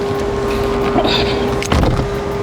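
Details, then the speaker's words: VinFast VF6 Plus electric car switched on, sitting still: steady mid-pitched whine audible outside and inside, owner guesses the 12V battery charging mechanism or a fan; cause unconfirmed, may need service center. "even inside the car you can still hear that whining the you know that that sound so it's actually quite annoying I don't know exactly why that's happening maybe we need to go back to the the service center to figure that out"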